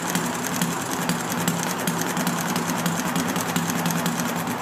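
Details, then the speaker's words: Enjomor model engine on a humid day with the original stiff brown piston O-ring, hard starting; after flooding, the soaked plug was cleaned and it fired with a fast, even ticking beat and no misses; normal running. "Definitely have it flooded, so let's see if we can get it to. Now I got it firing."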